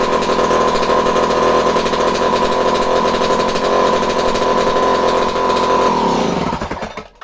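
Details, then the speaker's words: Homelite C51 chainsaw during fault finding: revs high and steady with a thin buzzy edge on initial start, then winds down; running slightly lean, owner suspects fuel draining back from carburetor, damp pump body seal needs fixing. "Did you hear how I initially started it? It just started to run a tiny bit lean, indicating to me that the fuel was already kind of traveling back away from the carburetor, and there's definitely the pump body seal is damp."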